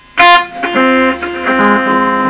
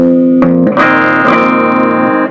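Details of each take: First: Fender Blues Junior tube amp with new valves and highly distorted output, played on the bench before any repair: guitar notes, especially bass notes, come out harsh and fuzzy with a raspy buzz. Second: Fender Blues Junior tube amp after repair of its distorted output, bias current about 35–36 mA: bass notes ring out clear and full with no fuzz or crackle; the amp is working and clean.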